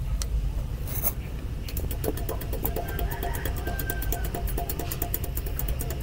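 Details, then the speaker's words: Freshly overhauled diesel engine running: a heavy rumble with sharp, evenly spaced ticking, louder due to high compression; a knock is still present and a loose piston is suspected, cause unconfirmed. "Sa diesel kasi talaga mas matindi yung ingay niyan pag umaandar yan kasi malakas ang compression mga kapatid."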